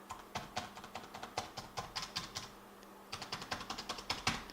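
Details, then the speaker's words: ThinkPad X220 keyboard: typing on the bottom-row keys gives sharp, hollow clacks at about four or five keys a second, as the keyboard flexes inward and its metal underside taps and rubs the chassis metal; upper rows stay fairly quiet. "that's because the entire bottom presses inward the metal on the bottom of the keyboard actually rubs against the metal of the chassis so when you type on any of the bottom row keys"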